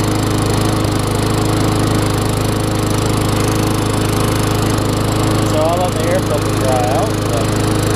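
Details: Craftsman self-propelled mower with a Tecumseh engine, running after a wet air filter was found as the starting problem: steady, even drone at constant speed with no misses or surging; running healthy.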